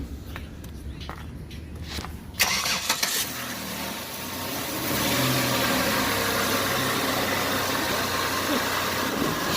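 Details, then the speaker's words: 2007 Chevrolet Impala after replacing the transmission control module for occasional gear skipping; short crank, clean catch and even idle that sounds good. "It sound good to me."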